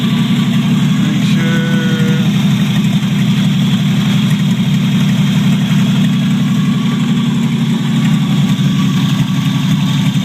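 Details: 1949 Chevrolet Deluxe 4-door, replacement engine just after its first start, no exhaust fitted: loud, raw open-pipe idle with an even, steady beat and no knocks or stumbles; generator working, throwout bearing audible, normal idle.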